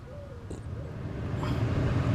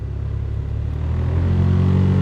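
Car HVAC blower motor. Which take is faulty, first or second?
second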